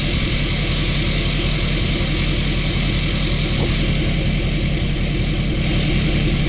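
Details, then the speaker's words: Tuned and deleted Ford F-350 diesel, hiss tune on the variable-vane (VGT) turbo, recorded outside: deep steady diesel rumble with light airy turbo hiss on top; normal idle with intended turbo hiss. "All right, so as you guys can hear, it's got that little bit of a hiss to it. It has something to do with the vanes in the VGT turbo that's going on, but it sounds amazing,"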